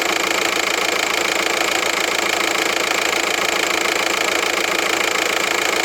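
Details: VW 1.9 TDI 105 hp diesel at idle, noise on right side: sharp, regular ticking clatter roughly three per second over hissy background; abnormal engine noise, origin unknown to owner.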